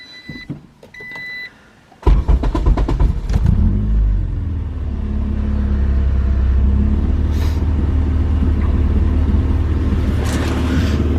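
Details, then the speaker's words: 1994 Acura Integra GSR 4-door with K24 (K24A2) swap on K-Pro: after a few chimes it starts into a deep, smooth, steady idle, very quiet through a 2.5-inch exhaust with resonator after the header and a large muffler. "she's very quiet the exhaust is two and a half inch it has a uh the resonator right after the header and then this muffler is pretty large"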